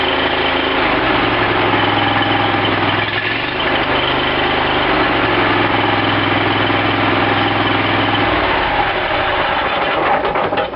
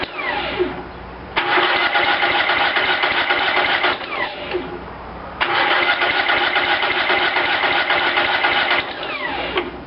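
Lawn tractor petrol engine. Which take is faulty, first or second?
second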